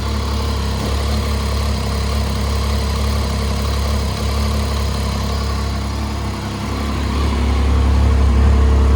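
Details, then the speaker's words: 2010 Triumph Street Triple R 675 triple with 38,566 miles, being parted out after a minor low-side crash, holds a steady, even idle with a smooth low throb and no knocks or rattles; a normal, healthy idle. "Man, this is probably the coolest sounding bike I've ever owned or parted out. Very, very wicked."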